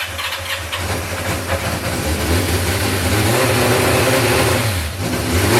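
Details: 1986 Yamaha FZ600, first start after 15–20 years, fresh oil, newly fuelled carbs (a leak appeared): catches and runs with a slightly uneven idle and a few rev blips; running, but the carbs still need tuning.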